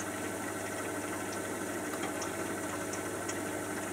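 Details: Miele Softtronic W487WPS 1800rpm washing machine, owned nearly 3 years, spinning: steady, even rumble with light regular ticks and no grinding or banging; running normally.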